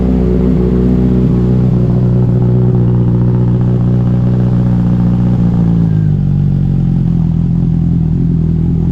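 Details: 2007 Honda CBR600RR after an oil, filter and air filter service, in neutral. Even idle picks up cleanly when revved and settles again with no knocks or misses; mechanically healthy, with only electrical issues left.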